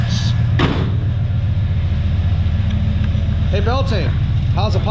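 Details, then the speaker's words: 1995 Chevy Impala SS 5.7L LT1 350 V8 with 4L60E, test run making oil pressure and charging; deep, even rumble holds steady with no misses or knocks, a few light background squeaks: healthy. "nice and smooth running here so all right let's step inside and test some parts"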